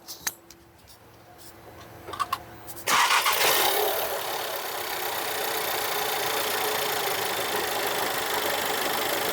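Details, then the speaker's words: Audi Q3 engine rebuilt after flood hydrolock damage, first start after refitting parts, mic near engine: a few light clicks, fires right up into a quiet even idle, no knock or rattle; normal start and idle. "As you can see बिल्कुल silent है। सब okay है।"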